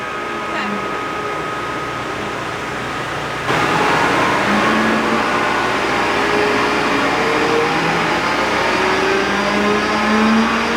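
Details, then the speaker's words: John Deere Green F12-090 hydraulic motor, bench-tested with no load after teardown and reassembly (backlash 1.5–1.75), at about 2300 rpm. Smooth, steady whir rising in pitch with no squeal; the customer's reported squeal is not reproduced. "That's That's like 2300 RPM. And last time we went up to 2300 RPM. Oh, the same. We don't hear the noise."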